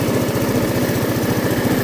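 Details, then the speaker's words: Orbit scooter with 139 engine, 62,850 km, that stalled after warm-up or braking, now after carburetor work: starts easily without throttle or long cranking and settles to a fast, even single-cylinder putter with no misses; normal idle. "от він абсолютно спокійно заводиться то есть не треба газувати він не за ється не треба стартер крутити по пару"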